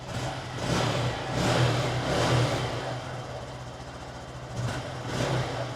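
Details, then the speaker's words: Written-off 2017 Honda MSX 125 (Grom) from auction, first start after a fresh battery; revs cleanly in a few throttle blips and drops back to idle, no knocking or rattle, not burning oil. Normal revving. "tell you what though it does not sound too bad at all it's idling pretty"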